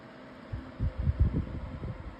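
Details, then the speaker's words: 2026 version of the Lasko 18-inch plastic table fan on medium speed, oscillating. Soft, low whoosh with a gentle rise and fall as the head sweeps, steady motor, no ticks or rubbing. Normal running. "All right. Now, we'll bring the fan up to medium. has pretty good oscillation with this motor or blades um like part set or something."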